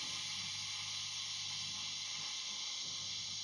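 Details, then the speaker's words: Valve guitar amp, second channel with master and mid up full: bass control turned gives only a soft steady hiss, no crackle or scratch; pot clean and quiet, unlike the slightly scratchy volume. "Nice and quiet. Mid control. Nice and quiet."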